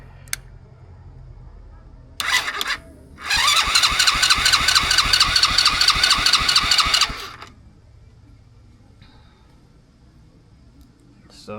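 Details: Cheap ATV with a newly installed wire harness and new chain, started with starter fluid, key on and brake held: short crank bursts, then the engine catches and runs a few seconds with a quick, even beat, a clean start.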